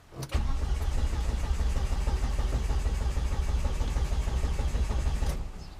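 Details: Volvo S40 with Holset HX40 turbo on new Speeduino ECU, after correcting crank sensor polarity with injectors fitted: starter churns steadily at roughly three beats a second for five seconds, never fires; fuel pump not yet ECU-controlled, later re-pinned.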